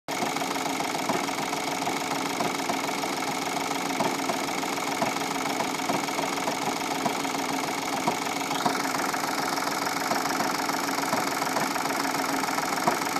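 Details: 2015 VW Polo 1.4 TDI diesel, 30k miles, after a front-end crash: uneven clunking rattle at idle shortly after startup, stopping when clutch pressed; failed dual mass flywheel, repaired by replacing flywheel and clutch.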